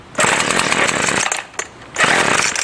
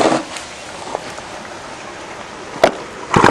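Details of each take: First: Salvaged two-stroke string trimmer with carb untouched, on full choke and full throttle: a buzzy catch that revs about a second, sags almost to nothing, then catches again. It starts then dies; the owner suspects it ran on residual gas. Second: Fourth garbage-picked string trimmer, fixed by replacing broken fuel lines and cleaning a dirty carburetor: a few pulls, then the two-stroke catches and revs to a steady high buzz, running clean and even; normal running.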